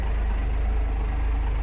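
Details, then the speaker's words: Cummins-powered dump truck, 127,000 miles, started cold: deep, steady diesel rumble at a very low idle with no misses or knocks; owner thinks idle rpm is too low and notes it is a little cold blooded, but it runs well. "it is a little cold blooded and it it idles really low I think maybe not they correct me in the comments if it's sort of run this low or not"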